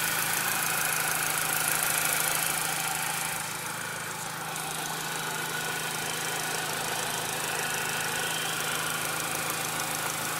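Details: Steady airy hiss over a smooth idle that does not change with the engine beat, after the throttle body and BPV were removed, cleaned and refitted; owner suspects a vacuum leak, not from the intake, unconfirmed.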